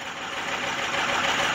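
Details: 2005 Ford F250 6.0 Powerstroke diesel, cold start at 39°F with check engine light on: cold diesel clatter with an uneven, lumpy beat rather than a steady rhythm; rough cold idle of unknown cause.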